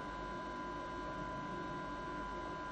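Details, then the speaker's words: FSP Champ 1 KVA online UPS: constant airy fan whoosh with a steady high hum, roughly 50-60 dB and louder under load; normal cooling fan noise, no rattles or surging. "ses yük bindiğinde daha da artıyor. Ve bu ses gerçekten rahatsız edici olabiliyor."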